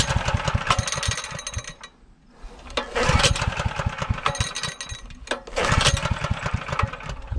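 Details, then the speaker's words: Newly acquired saw, gas on, tried with and without choke: repeated pull-start bursts fire unevenly then die, will not keep running; owner suspects oil-saturated aftermarket air filter blocking airflow. "And I think the trouble is when I'm putting this on, air is not getting through this layer of oil."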